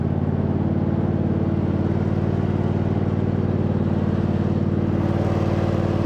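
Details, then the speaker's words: 2007 MTD/White Outdoors 54in zero-turn mower, deck rebuilt with new spindle bearings, first test with belt rerouted and spindle covers off: smooth, even low hum, no grind or rattle, super quiet; normal deck running. "all right sweet so far it looks good super quiet with those new bearings in there"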